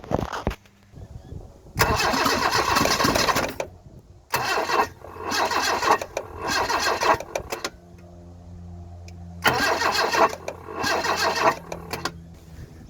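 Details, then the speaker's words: Newly bought Toyota KE70 Corolla, started with borrowed battery and fuel poured into the intake: repeated fast cranking, each burst catching for a few uneven pops before dying, so it won't keep running; owner suspects the timing may be off. "I've tried the bark to life it also sounds like the timing may be off so that's something else I should look at later"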